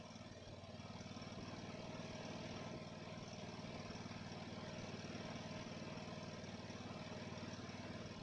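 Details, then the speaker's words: Ariens mower after its Nikki carburetor rebuild, idling: an even single-cylinder chuff with a gentle rise and fall. Slight surging evens out and it settles into a steady idle, revving up nicely. "Wow that's really great actually there's a little bit of surging here and there but it evens out and stop surging but it idles and you can kick it up nicely"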